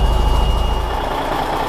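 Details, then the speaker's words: Cummins NHC 250 truck diesel, cold just after start with new pre-oiler giving immediate oil pressure: heavy low rumble, rough and uneven at first then steadier, thin steady beep over it; normal cold running. "go we had oil pressure immediately upon starting she's cold and unhappy but she's"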